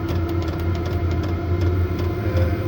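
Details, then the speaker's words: Heater in a snowmobile trailer, running at full output after a 3 to 4 minute warm-up: steady low roaring hum like a jet, with an even blower note, no rattles or surging; normal running. "taking off kind of sounds like a jet airplane and this here is where the Heat's going to come out"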